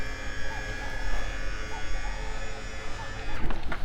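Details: Ewiks auto mover on an Infanta Enkulu 3 caravan, handbrake released, driving forward on both sides: even motor hum with steady whine holding pitch; operating normally.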